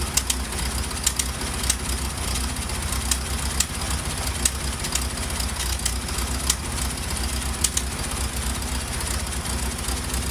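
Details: Ford Model T engine running with sharp, irregular pops about once a second over a low, loping note, like popcorn popping; cause not pinned down.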